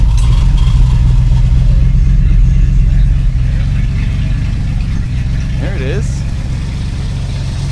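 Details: 1984 Dodge Power Ram, new carburetor not squirting from accelerator pump, distributor and coil replaced: engine runs unevenly with an irregular low beat, sagging and dying; rough running. Owner suspects fuel starvation and an electrical fault.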